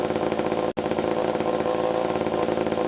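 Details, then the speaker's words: Vintage Pioneer 11-60 chainsaw after years in storage, points readjusted and sanded to restore spark: steady even two-stroke buzz at constant speed without misses or surging; running good. "Oh seems to run for good actually I'm impressed I'm surprised that after all these years in storage which is running good"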